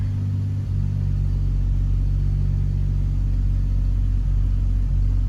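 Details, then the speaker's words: 2005 Chevy Trailblazer with a misfire code that returned after new spark plugs: low idle rumble with an occasional uneven stumble, a random intermittent misfire at idle; seems not compression related, suspected coil, spark plug or injector. "yeah it's pretty consistent there I don't think that doesn't seem to be compression related because it's very intermittent okay it's very random random misfire"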